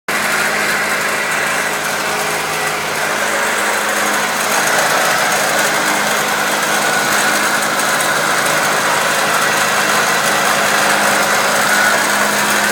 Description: Acura Integra 99 making a rattle sound